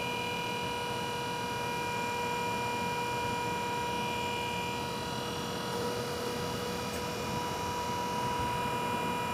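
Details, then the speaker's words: BG PF5-HO power flush and transmission fluid exchange machine during service: steady even whine with a constant hum underneath at the same pitch from the machine's pump; normal pump running. "one thing you're going to notice is we can hear the pump running on the on the machine you will not know obviously the standard machine doesn't have a pump so you won't hear the whining the whining noise of the pump"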